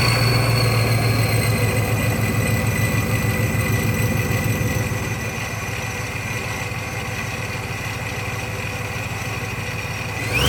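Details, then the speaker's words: Silverado/Sierra 2500, LQ4 6.0 V8 with 4L80, custom-bracketed ProCharger P600B supercharger, 45 lb injectors, about 550–600 hp: deep even idle settling slightly after a few seconds, firing smooth and regular; healthy engine. "so i'll have more videos of this truck but i'll crank it up just so you can hear it idling and stuff"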